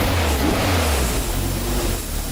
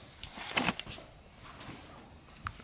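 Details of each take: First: Toyota MR2 on jack stands, first start after installing a new fuel pump: runs and pulls up through a smooth rev without stumbling, misfire or knocks; fuel delivery sounds healthy. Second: Toyota MR2 just fitted with a new in-tank fuel pump, on jack stands: starter spins evenly about five seconds but never fires; crank no start because the new fuel pump was left unplugged.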